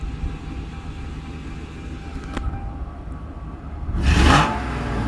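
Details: Car at 208k, otherwise stock, with cold air intake, all 4 catalytic converters unclogged and stock mufflers worn and rattling: deep rumbling exhaust swelling into a loud raspy roar on the rev; worn mufflers letting too much noise through.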